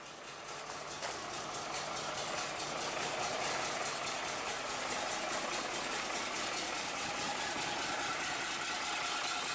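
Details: Bus diesel restarted after standing unrun for a week, with fresh fuel and a bodged wire: even steady idle clatter while warming, no misses or knocking; healthy normal idle.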